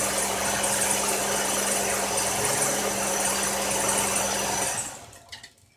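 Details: Buick needing new intake manifold gaskets, with coolant mixed into the oil: a rough, uneven idle with a busy ticking clatter and a faint low hum before shutting off; misfire blamed on leaking intake gaskets.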